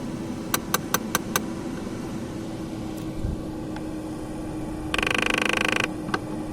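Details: Audi A6 C5 Climatronic, V71 air flow flap motor in the dash: sharp plastic clicks over a steady blower hum, then a fast ratcheting burst; cause unknown.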